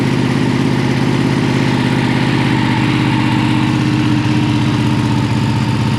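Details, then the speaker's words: Ducati 959 Panigale twin with a newly installed full titanium Akrapovic exhaust; deep, steady, even idle with regular firing and no knocks or misses; running healthy. "It's definitely louder. It's not like louder when it's idling, but I"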